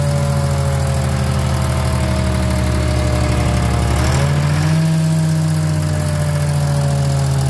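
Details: Detroit diesel in a DROTT excavator that sat about 15 years, running after revival: loud, even drone that steps up smoothly in pitch midway as it revs and holds; sounds healthy.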